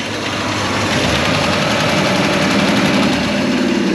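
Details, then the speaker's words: 1956 Chrysler Windsor wagon, 354 Hemi V8 with PowerFlite, after it failed to start and needed a replacement starter: a low, slow V8 idle with a steady loping beat around 200 rpm, no misses or knocks, no smoke. "no smoke either and look at that that's like a 200 RPM idle"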